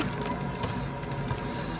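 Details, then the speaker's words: Worn left rear wheel bearing on a 14-year-old Citroën C1 with 220,000 km, car raised, wheel spun by hand: steady dull low rumble with faint whirring, not a brake noise, though no lateral play felt by hand; right rear is quiet. "on entend bien c'est pas un bruit de frein c'est un bruit sourd de roulement qui est ch même si comme ça à la main quand je secou je ne sens pas de jeu latéral"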